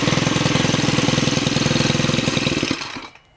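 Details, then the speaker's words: Stihl FS91R trimmer after clutch spring replacement: quick, even two-stroke idle ticking over steadily, then switched off; trimmer head no longer spins at idle, normal idle. "so now I'm going to start it up and the trimmer head should not spin when it's idling"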